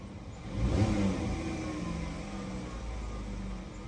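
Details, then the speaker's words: Dodge Caravan after repair of cylinder 3 misfire, white smoke and check-engine light: petrol engine blips up cleanly and settles to a steady, even run with no stumble; check-engine light gone, no smoke, RPM response good. "Ang ganda na ng andar. Hindi na pumapalag yung makina. At maganda na rin yung palo ng RPM."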